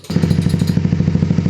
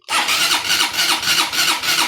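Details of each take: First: Honda CBR150, formerly noisy and hard to start, running after repair: quick, even popping beat at about thirteen pulses a second with no knocks or clatter; healthy single idling steadily. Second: Honda CBR150 hard to start and noisy: long, laboured cranking at about three strokes a second that never catches; exhaust camshaft found very stiff to turn while intake spins freely, to be lapped with grinding compound.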